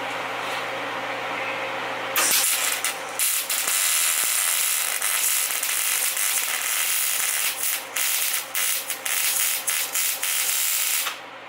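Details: MIG welding on a Ford truck during a Cummins engine swap: harsh, uneven crackle with dropouts and pops instead of a smooth sizzle; spatter blamed on metal not cleaned or ground enough, slightly rusty.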